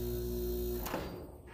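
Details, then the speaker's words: DIY vacuum pump converted from an old roadside A/C, about 10 years old, running well: steady low hum with even overtones, then a soft clunk as it stops; quiet, smooth and healthy. "This is the vacuum side. This is the output. You can tell it's doing pretty good there. Pretty quiet"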